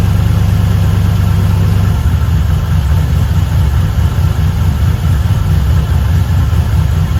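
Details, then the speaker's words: LS1 V8 one-tonner idling on first startup after fitting an upgraded Aeroflow 78/75 Gen 2 turbo and new cam: an even, steady low rumble with no ticking or puffing from leaks. Turbo spinning well, no exhaust leaks, normal healthy idle. "The turbo's spinning good. I can't hear any exhaust leaks, which is great."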